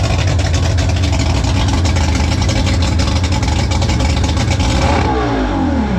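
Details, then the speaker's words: Mercury 3L outboard (225hp carb-to-250hp EFI swap), after a mechanic checked the work: loud, dense roar held at high revs, then falls away cleanly. The slide opens only on secondaries at full throttle; fires and pulls evenly, normal. "we have success on the bado front there the slide wasn't opening up but the guru has let me know that that's when the secondaries kick in when you floor foot to the floor we're in business"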